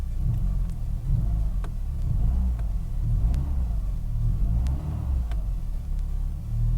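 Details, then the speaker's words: Renault Clio Alizé 1.4 with a Siemens 3.2 ECU, running after a temporary crank-no-start fix; the coolant temperature sensor is still faulty. A low, steady rumble swells as the throttle is blipped. It revs freely with no misfire or knock; normal revving. "you see i can rev it to about 150 000 rpms you know i'm good"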